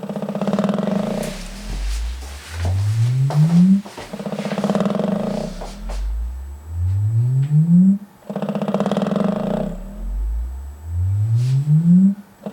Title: Velodyne DD 15 rattling noise